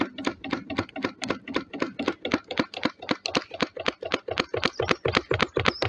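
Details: Wood-fired DIY Stirling engine generator Mk4 on a rocket stove, running very slowly after three quarters of an hour as the fire dies: steady clonking, nearly four knocks a second on each stroke, from a bolt left loose on one side.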